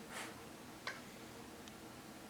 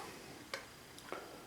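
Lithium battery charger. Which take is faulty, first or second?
second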